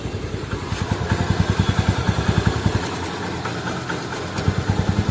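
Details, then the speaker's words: TVS Ntorq scooter at idle after timing chain and tensioner replacement, engine previously removed; steady, even low thump about three to four beats a second with no rattle, sound now smooth. "Sound अब एकदम मक्खन हो गया ठीक है"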